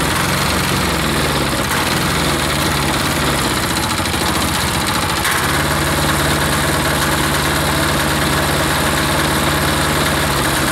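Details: Hot air-cooled diesel engine during restart cycles; catches after a brief crank and settles into a steady, even idle with a solid low thrum. Normal idle.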